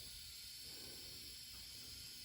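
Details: Subaru Legacy EJ25 cylinder head on the bench during teardown, leak test with engine not running: faint steady hiss of air escaping past a valve that isn't seating, before valve lapping with grinding compound.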